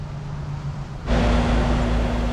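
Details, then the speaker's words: Older R22 AC condenser that had no power from a blown fuse in the disconnect, now fixed and reading about 242 V: a quiet hum, then a firm low drone kicks in at about one second and holds steady; normal start-up, with pressures at 77/177 and good amp draw. "All right, the unit is running."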